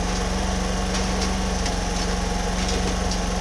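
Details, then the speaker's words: Homelite HG600 small generator after fuel pump clean and new gasket set, started on choke, full volts, no fuel leaks: steady, even engine drone at constant pitch, really quiet, no surging or misses; running smoothly. "no fuel leaks at the moment that's quiet too that's really quiet"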